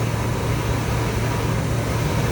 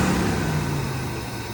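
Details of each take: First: 1978 Chevrolet Corvette V8, last on the road 2012, at idle in first minutes with 50 psi oil pressure: loud deep rumble with a slightly lumpy beat; misfire at idle, suspected plug(s) or plug wire; blue exhaust smoke. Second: 1978 Chevrolet Corvette V8, test start after new battery, 50 psi oil pressure: steady idle whose hum sinks as it warms, no tapping or misfire; blue smoke and valve cover gasket oil burning on manifolds; normal warm-up idle.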